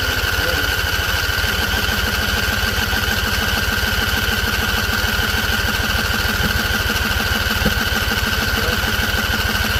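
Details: Husqvarna Z254 with a swapped engine and carburetor new a couple weeks earlier; spark confirmed. Even cranking chug about 200 per minute that never catches, with a single faint pop; owner suspects flooding. A loose plug end was found afterward.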